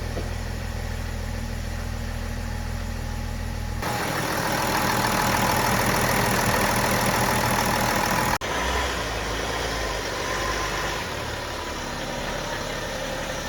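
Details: 2009 BMW X5 35d, M57 3.0 L twin-turbo diesel, which broke down on the highway and wouldn't restart. After replacing parts and bleeding the fuel system, it catches and settles into an even, steady clattering idle with no misses: running as it should.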